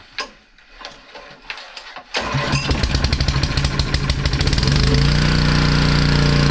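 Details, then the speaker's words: Honda EG1900X generator, Honda GX140 petrol engine, stored over 10 years, after fuel tank clean, ultrasonic carb clean and oil change: few pulls, then steady even drone, no stumbles; running about 52 Hz unloaded; running properly. "so there you go guys one more engine done one more generator up and running ready for work engine's running very nice"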